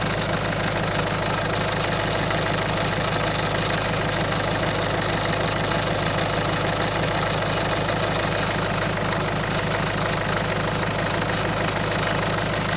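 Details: Citroën C5 1.6 HDi diesel with loss of power, idling with a steady, fairly regular knock about three per second over the engine note; abnormal noise, cause not pinned down.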